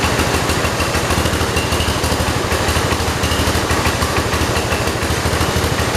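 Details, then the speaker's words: 1968 John Deere 112 garden tractor with a swapped-in Kohler single-cylinder engine; low idle with uneven loping thumps near three per second; the air filter threw off the carburetor fuel mixture adjustment. "air filter messed up my fuel adjustment"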